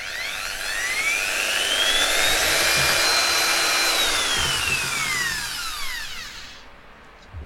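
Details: Okatz 720W dual action polisher converted to rotary with an M10 to M14 adapter: motor whine climbs smoothly to a steady high pitch, holds, then winds down cleanly with no grinding or rattle; healthy.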